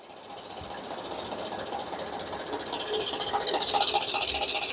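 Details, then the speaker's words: 2012 Hyundai Equus engine, heard via four-channel stethoscope sensors: quick even ticking rattle about four per second, loudest on one channel; likely a stretched timing chain, full timing set replacement needed, CVVT and oil pump to be checked. "[음악] 채널이음 타이밍 세이 늘어난 거 같아요 타이밍 풀세트 교환해야 돼요"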